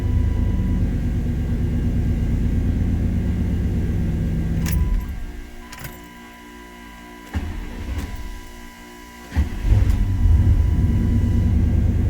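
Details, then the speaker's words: 1993 Chevrolet C1500 5.7L V8 (OBD-1, code 54 fuel pump relay/circuit) with oil pressure switch: steady idle cuts out, relay clicks, then cranks and fires straight into even idle; normal start while diagnosing fuel pump prime loss. "she fires right up with the oil pressure switch of course"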